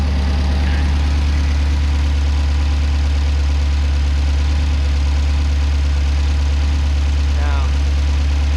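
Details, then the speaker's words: V8-swapped Corvair on Holley EFI with LS3 injectors, first start running batch fire with cam sensor off: loud, lumpy idle with uneven loping beat; one cylinder not firing, running on seven. "still not working sounds pretty good for seven cylinders though"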